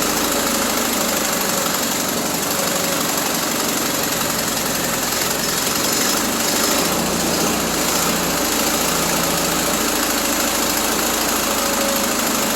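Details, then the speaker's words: 1974 Triumph Spitfire with a rebuilt Zenith Stromberg CD150, after correcting the swapped plug leads to 1-3-4-2: loud, ragged, stumbling idle that won't hold; the carburettor mixture and ignition timing still need setting, and the starter is worn. "Well, she runs. yeah, we still need to do some tweaking on this carburetor because she doesn't want to hold a idle. Timing, definitely got to get that set."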